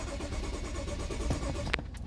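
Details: 2014 BMW 535i (F10) after a dead battery: starter churns the engine over steadily for a couple of seconds but it never fires; crank-no-start being diagnosed by scan tool, cause not confirmed.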